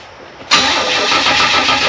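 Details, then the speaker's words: 1964 Chevy II Nova, first start in months after brake rebuild, only a few gallons in a dry tank: even, fast cranking, never catches; pump blowing slightly but not picking up fuel, owner suspects a break in a line or the pickup sock. Crank no-start. "so it's blowing just a little bit but it's not picking any up so and then we got a break in a line or the sock or something like that'"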